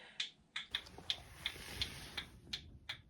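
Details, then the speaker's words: 1965 Ford Econoline van stored since 2011, key on before first start attempt: crisp, evenly spaced turn-signal clicks a little under three per second in a quiet cab; the flasher works normally. "ah it's a turn signal oh I gotta show you that I mean come on can't believe the turn Signal's working"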